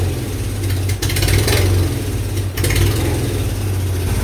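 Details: 1999 Mazda B2500 with junkyard-rebuilt 1999 Ford Ranger 2.5L, 10-inch glass pack, radiator out, started with ether: deep loud steady idle, no misses or knocks; some smoke from oil on exhaust.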